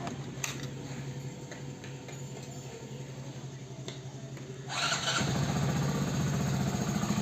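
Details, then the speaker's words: Hero Passion Plus BS6 motorcycle at 13,454 km, after repair: the engine noise was blamed on the timing chain but came from the rocker, and setting the rocker gap cured it. It now starts and idles evenly, quiet and without top-end tapping. "Sir ji a few moments later finally finally guys इस bike में जो engine sound की problem थी वो हो चुकी है solve"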